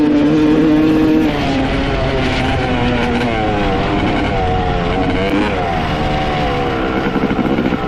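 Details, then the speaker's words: 1995 Honda CR250 two-stroke, Wiseco clutch basket, float height changed: first run crisp and clearing out, but as it warms revs rise and fall unevenly and sag instead of snapping up; bogging when warm. "and then as it got warmer and warmer it seems like it's getting boggier and boggier it's just just like and it's not clearing out it's really really weird"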